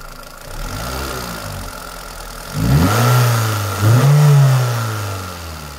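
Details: Toyota Celica 2ZZ: rough idle rising through two quick revs with a dull knock in the engine note; engine knock, source not pinned down.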